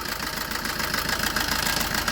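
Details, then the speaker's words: Maruti Suzuki Ciaz diesel idling with a busy, clattery metallic rattle from a stretched timing chain, caused by running with almost no oil after an oil leak; the timing chain needs replacing. "അങ്ങനെ timing chain noise ഉണ്ട്. ടൈമിം chain മാറണം."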